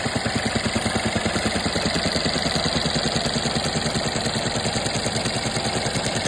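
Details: VW 1.0 TSI 81 kW (DLAA) three-cylinder petrol engine, 2021, idles with a steady, fast ticking clatter over its pulse, described as a weird noise at idle.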